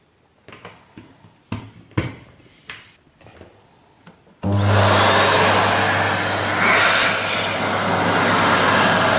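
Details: Panasonic MC-CJ911 vacuum cleaner after repair, with a new 2000W motor fitted: a few handling knocks, then a smooth, steady roar and low hum. It was earlier noisy from broken bearings and smelly from worn carbon brushes.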